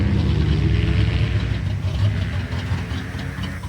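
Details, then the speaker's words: 1965 AMC Ambassador (Rambler), restarted with a little choke while running off a temporary fuel tank, no muffler fitted: soft, even low purr at idle with a steady beat and no knocks, ticks or hiss; normal smooth idle. "Pop, pop. Listen to the baby purr. Beautiful. Pretty cool."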